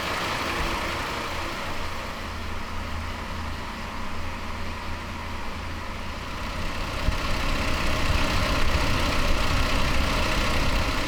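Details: 1993 Toyota Land Cruiser 80 after new water pump, fan clutch, Koso temperature gauge and alarm starter-kill removal: even low idle rumble with steady beat rising slightly toward the end, no knocks or squeals; healthy, no leaks.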